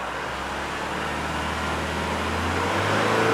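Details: 2017 Isuzu D-Max 3.0 L diesel running rough, revved through the range while scoping number four injector current: pitch climbs steadily with a slightly uneven beat underneath; number four suspected faulty injector versus good number one.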